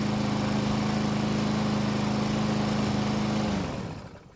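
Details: Murray self-propelled mower that would not start even with fresh gasoline, now running on its old fuel after a couple of pulls: a small engine holds a steady, even buzz with no misses or surging, then shuts down cleanly. The self-propel works.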